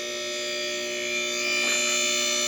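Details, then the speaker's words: Newly replaced lift motor raising the lift: steady whirring hum with clean constant pitch firming slightly under load, no grinding or rattle; much quieter than before, healthy. "See if she goes up. Okay. That's a lot quieter. That's awesome. That thing sounds good."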